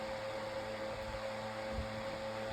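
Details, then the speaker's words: 9-inch Airtek high-velocity fan on medium speed, blowing good air across a bed: smooth steady whoosh with even mid-pitched hum, no rattles or ticking; normal fan running. "That's neutral for a fan like this. I would say at least this blows some good air right now."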